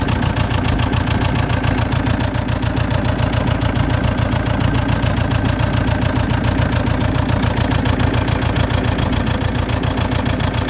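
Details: Saab 9-3 1.9 TiD diesel (2007/2008) idling with a clattery, uneven pulse about three to four a second: misfire with white smoke, despite newly fitted glow plugs, alternator and battery.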